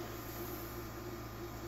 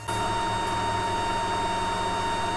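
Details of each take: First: Geeetech MeCreator2 3D printer after its cooling fan was replaced with an 80mm Antec PC fan, recorded close to the printer: a soft, steady whir with a faint hum, far quieter than the original. The fan is running normally. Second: Geeetech MeCreator2 3D printer's original cooling fan, recorded directly in front of the printer: a steady high-pitched whine over an airy rush that stops abruptly. It has been loud since day one and recently started dying before being replaced.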